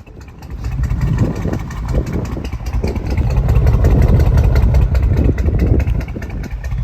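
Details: Mercedes AMG, M156 engine, hydrolocked with fuel after one injector stuck open and filled a cylinder: uneven, lumpy idle with irregular low thumps and a stumbling beat under the exhaust.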